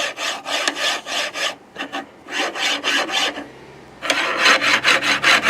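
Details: Anet/Creality-style 3D printer bed linear rail: harsh rasping strokes, two or three a second, as the carriage slides; the rail is pitted, possibly from corrosion or rust, and the bearing falls into the pits and grinds; owner plans to polish it with fine steel wool.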